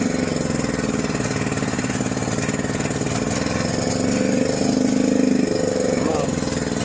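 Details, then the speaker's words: John Deere 6200-watt portable generator, dry-stored four years since Hurricane Ian, carburetor varnished by old fuel; half choke after start: uneven, lumpy beat with hunting speed and faltering rhythm; rough running, possibly also low fuel. "So, we do still have some running problems. We might not just have enough gas in there."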